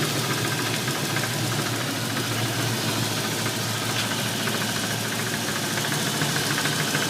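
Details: 302 HO V8, 76,000 miles, warm start: steady idle with a light, fairly regular knock of about three to four per second; cause suspected, not confirmed.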